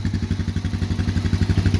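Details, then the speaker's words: 2008 Polaris Outlaw 90 four-stroke carbureted ATV, started without choke: even, steady putter with no misses or knocks and no smoke; always a great starting, great running machine. Normal idle. "you can hear I mean there that's that's idle that's no choke it's just I mean it's always been a great starting great running machine"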